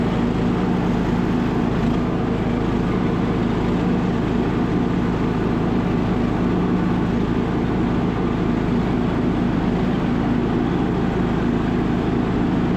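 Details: Revived MTD Bolens riding mower restarted after reopening the fuel valve that had caused a stall: even, steady engine drone with no misses, knocks or surging over thirteen seconds; runs super smooth and healthy.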